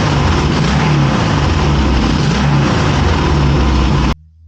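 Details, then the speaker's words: 1981 Yamaha XS650 Special first startup after carb rebuild, on a weak battery and fuel bottle: loud lumpy twin idle with irregular sharp pops, backfiring on the right cylinder, cause unknown; carb boots and pod filters questioned. "The engine sounds like it's running pretty well. Now I am getting some backfiring on the right cylinder. I'm not exactly sure what that is."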